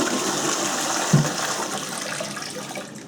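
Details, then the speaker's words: Newly installed Kohler K6299 wall-hung toilet on a K6284 carrier, low-flow flush (right button): a strong rushing flush that tails off smoothly with no gurgling. The owner hopes the modified venting is correct. "can hear that flush really well. There's no gurgling sound or anything like that."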